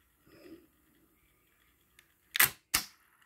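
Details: Pioneer CT-F900 cassette deck after repair: idler spring replaced with a stronger cut-down spring, original idler tire refitted. Quick crisp clunks as the transport engages and changes mode through rewind and fast forward, no slipping or grinding; working properly.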